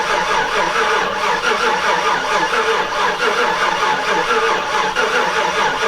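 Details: Chevrolet Silverado Z71 after top-end rebuild (collapsed lifter, DOD delete), first start, no coolant yet: slow, even cranking that never catches because the fuel pump fuse was left pulled, so no fuel reaches the engine; crank no start.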